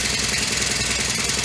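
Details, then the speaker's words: Honda FG100 mini tiller single-cylinder after valve adjustment and reassembly: even, rapid putter with no loud ticking from the top end; much quieter than before the valves were set. "much quieter than it was yesterday when it had no valve"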